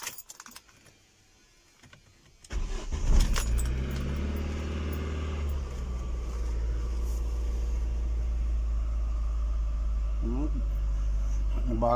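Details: Ford Focus 1 1.8 Zetec with surging idle, cold start after throttle body cleaning: starter cranks briefly, engine catches at a high cold idle that eases down steadily and runs smooth; normal cold start.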